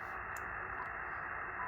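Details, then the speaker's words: HF receiver at about 18 MHz: steady hiss, now more like white noise, with a faint residual 60 Hz growl underneath; power line noise at low strength. "And it's starting to sound a little more like white noise in the background, although there's some of that 60 hertz growl in there remaining."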